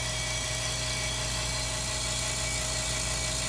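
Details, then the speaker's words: California Air Tools 2010A "ultra quiet" air compressor plugged into an RV, decibel app held right next to it reads about 70–75 dB, like conversation; steady even motor hum with constant hiss, no knocks or rattles, running normally. "And look at that, it's still staying in the 70s, right next to the compressor. Right next to the compressor, it's staying at 75, which is like a conversational tone, right?"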